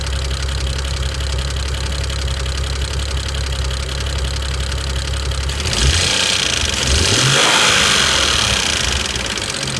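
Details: 2009 BMW 335i N54, warm idle: fast, steady loud ticking about four per second that grows with revs and persists when warm; began after a JB4 firmware update, owner says not the typical direct-injector noise; engine ticking at idle.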